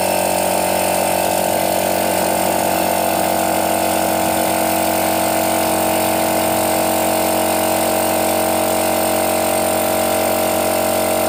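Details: Used portable direct-drive air compressor, cover missing, tap closed to test auto cut-off: even pump chatter about four beats a second over constant motor hum; normal compressor running.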